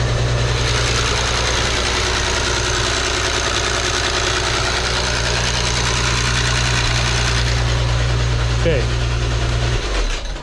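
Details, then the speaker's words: 2008 VW R36, overfilled with oil to quiet the noise: steady idle with busy metallic rattle from start-up; worn timing chain tensioner letting chain slap, needs timing chain kit. "you can hear how badly it is we've been put one ignition coil in and it worked perfectly the engine no shaking at all nice and smooth but we got to do some very very very very small job is timing chain kit"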